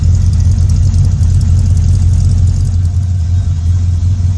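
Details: 1955 Chevy truck LS V8 swap, running after first start following year-long build: deep, smooth, even burble holding steady speed with no ticks or misses; healthy idle.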